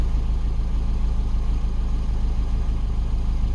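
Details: 2012 Mini Cooper 1.6L manual, previously a crank-no-start with low high-pressure fuel code, now running after a missed vacuum connection was fixed: steady, even low rumble with no misses, knocks or hunting; normal idle.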